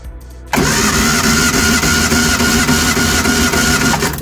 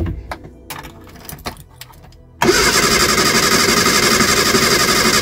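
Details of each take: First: Reliant Supervan engine compression test, spark plugs out, cranking on the starter: even, steady cranking at about three and a half beats a second with no lazy strokes; this cylinder reads 125–130 psi, normal compression. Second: Eddie Stobart Reliant Supervan, cold, with fresh oil and new plugs after revival work: fast steady cranking for about seven seconds without catching cleanly, slow to fire while petrol is drawn up. Once running it is quieter and less tappy.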